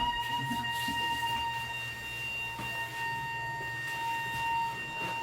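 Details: Toilet flush valve: a steady high whistle with overtones holds for several seconds over room noise. It stops when flushed, then returns; a singing or whistling flush valve.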